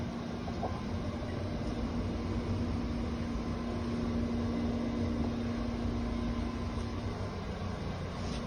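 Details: Carrier ComfortLink chiller, newly replaced condenser-side water pump after the old one seized and burnt starter wires: steady even hum, constant low tone, no knocking, grinding or rattle; pump running normally.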